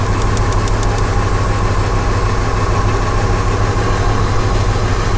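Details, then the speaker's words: V8 with P0300 misfire code idles with a deep, lumpy, uneven beat; unplugging plug wires showed no RPM drop on cylinders 1 and 3, suspected dead cylinders; rough idle from misfire. "that we're gonna say that that one's probably gonna be a dead cylinder now there's no cylinder number four"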